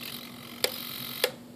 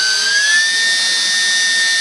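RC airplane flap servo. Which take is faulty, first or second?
first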